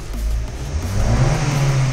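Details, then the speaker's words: Car after fuel pump replacement: engine revs up cleanly and holds a steady, rising drone without misses or stumbles; pulls correctly, showing the new fuel pump works, with a longer drive still planned. "तो ये जनाब गाड़ी बिल्कुल सही खींच रही है इसका मतलब है फ्यूल पंप कम कर रहा है"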